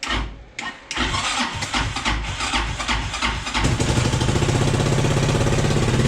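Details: Chinese 300cc scooter-engine SXS rebuilt, plug wire trimmed to restore spark, oil in but no coolant yet, in neutral, airbox off: a few seconds cranking, catches and settles into quick steady idle.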